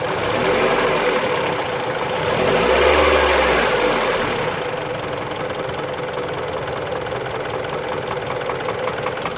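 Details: Mitsubishi Lancer X 1.8 4B10 engine knocking only when warm at idle; fast, fairly even tapping about three to four per second from inside the engine, source unknown.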